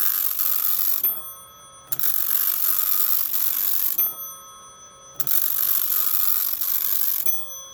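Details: Teletype Model 43 teleprinter, freshly serviced and lubricated, running its printer test with the lid switch pressed and a newly installed new-old-stock ribbon: bursts of fast, even clattering print with short pauses and clean carriage returns; a normal, healthy print test.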